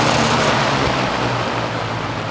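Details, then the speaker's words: Toastmaster box fan, cleaned, a little dust in the motor, running on high: steady even rush of air over a low motor hum, some noise from the case — normal fan on high. "It's just the case that's making that noise, but that's quite a bit of wind"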